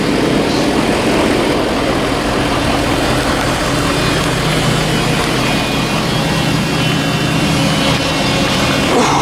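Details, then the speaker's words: Work truck: loud, thin, steady high whine from underneath over the idling engine, unchanged with running; identified as a loud electric fuel lift pump. "yeah n it's a fuel pump it's a lift pump really loud"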